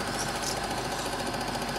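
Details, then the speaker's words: Serviced Eumig dual-gauge 8mm projector running Super 8 film after transport-mechanism repair: fast, even clatter over a steady motor whir, no catches or grinding, as the claw engages the film; normal running. "as you can see the projector is running smoothly you can hear that clatter clatter which means the claw is engaging"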